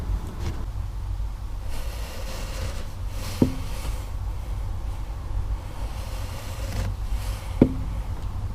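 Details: 2012 Insignia 2.0 CDTI (160) SRi diesel: two sharp single knocks over a steady low hum, right at the end of the clutch pedal release and also felt through the foot. Clutch knock at the end of engagement, cause unknown.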